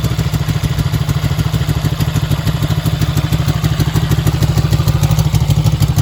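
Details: Restored 1965 Honda CB77 Superhawk twin with reproduction header pipes and mufflers, electric start: even, steady beat ticking over at about three firings a second, no knocks or misses; healthy normal running.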